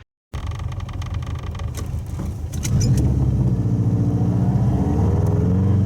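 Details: Old Subaru wagon with a roughly 14-inch fiberglass-packed X-Force straight-through muffler, heard inside the car on the freeway up to 100 km/h at 3,000–4,000 rpm under full load: deep booming rumble swelling with revs. The straight-through muffler causes exhaust drone.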